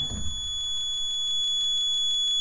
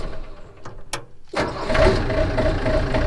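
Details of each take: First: 1991 Yanmar B50 excavator, key on, after temperature-light wiring repair: high, steady beep pulsing five or six times a second without stopping; warning buzzer stays on, cause unclear, rewiring planned. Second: 1991 Yanmar B50 excavator diesel after warning buzzer/temperature light wiring repair: clatter at start then steady rumbling idle, no buzzer after starting; warning circuit normal, low oil pressure alarm tested working.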